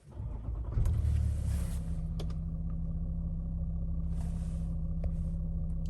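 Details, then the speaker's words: Range Rover Autobiography with an oil pressure warning light, after replacing the oil pressure sensor on top of the engine: cranks, catches within a second and settles into a smooth, steady idle with no ticking or knocking; sensor fixed the issue. "So yeah, the sensor has sorted the issue."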